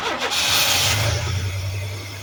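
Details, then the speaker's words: 1991 Chevy S10: engine catches with a brief rush then dies within two seconds; no fuel pressure, fuel pump not delivering fuel. "There we go, guys. No fuel. All right. So without the pump delivering fuel, that's it. That's the problem. We're definitely not getting fuel pressure."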